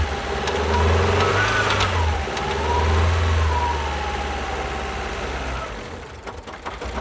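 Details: 2012 Alfa Romeo Giulietta II (Tipo 940), 1368 cc 120 hp petrol, engine code 940B7000, 164,000 km: lumpy, shaking, lopsided chuff under light revs. Two cylinders have no compression.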